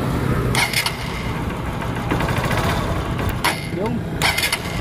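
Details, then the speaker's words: Honda TMX Supremo motorcycle that died and started hard when wet from rain or washing: the spark plug cap was confirmed as the fault. After swapping the cap, the engine fires and settles into a steady, even putter with throttle blips and no misfire. "Ayun nga mga boss at kumpirmado na spark plug cap ang problema n ating tropa ng ating unit na itong dumating"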